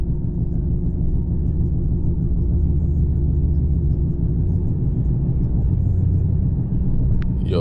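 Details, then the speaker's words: Lexus RC F: deep, steady rotational rumbling hum with a slow pulsing thump under road noise, apparently from the rear; owner suspects hubs or tyres, having found inner tyre wear; cause not confirmed. "that's a strange ass sound. All jokes aside, does anyone know what on earth his sound is? Yeah, so it could be a couple of things. It could be either the hubs or the tires."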